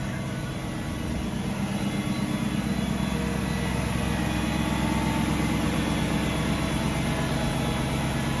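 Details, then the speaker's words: 2003 BMW 540i cold start after sitting about 24 hours, exhaust manifold ice cold: steady, even cold idle with a smooth low hum that goes away soon after startup, no knocks or misses; normal cold idle. "it makes like that kind of humming noise then it goes off pretty soon it's good"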